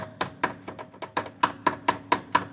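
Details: Mercedes W123 rear suspension: sharp metallic knocks, about four a second, as the rear half-shaft is tapped upward by hand; the shaft also makes noise when turned, and the other side is the same. The owner is unsure whether the wear is in the half-shaft, in the hub splines, or normal and needing grease.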